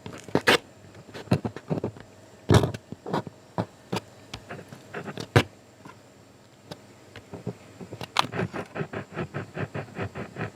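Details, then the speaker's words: Peavey SP2 speaker woofer being checked by pushing the cone: each press gives a short gritty scrape in clusters, varying with where the cone is pushed; voice coil rubbing, dirt in the gap. "Depends on what part of the cone you push on. But hear that? That's the problem."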